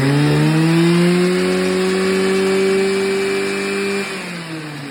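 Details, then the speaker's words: Stihl FS86 trimmer after new fuel line and fuel filter, starting easily but stalling a little: small two-stroke buzzing high and steady, pitch rising as it revs then easing off; runs cleanly with no misfire. "d it with the drill, and it fired up as soon as the fuel hit the carb. So I put the recoil on and it's been starting easily."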